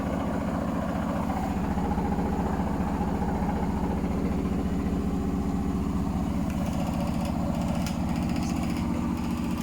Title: Hotpoint Smart Tech Very Unbalanced spin (Making strange noises)